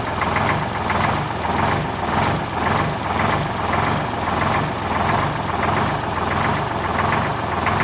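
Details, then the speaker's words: Detroit Diesel 12V71 two-stroke in a 1973 Peterbilt 352 cabover, first run since 1984: loud idle with a rolling uneven beat about 100 a minute, one cylinder sounding off; good oil and fuel pressure, alternator charging. "so so a little bit of wall it's like one cylinder in particular"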